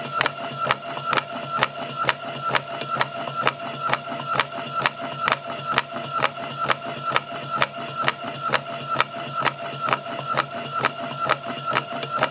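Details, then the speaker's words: Patlite SKP-240 industrial halogen rotating beacon, fixed-belt drive: even rattle about twice a second over light motor whir as the transmission unit hits the rough belt section; normal belt-drive rattle. "The sound that you can hear is the motor assembly rattling when the transmission control unit comes into contact with the rough section of the belt."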